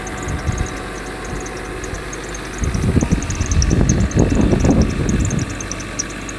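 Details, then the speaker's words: Mercedes W126 300SE with M103 3.0 L inline-six after a Voltarent conversion, idle raised slightly to about 900 rpm; calm, even idle with soft low hum, no knocks or stumbles; normal idle. "You've got to love how calm that engine is. Wow."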